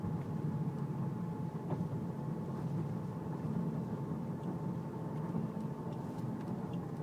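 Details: Car with power steering whine turning left or right below 10 mph, less at speed; fluid full, no leaks or foam, slight reservoir jump, belt normal: thin steady high whine over engine rumble while turning; pump or rack suspected.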